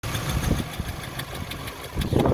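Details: 2005 VW Golf Mk5 1.6 L Trendline: uneven, lumpy idle with irregular stumbles and surges, stalls and is hard to restart; coil pack and spark plugs already replaced, only code is cylinder 4 misfire.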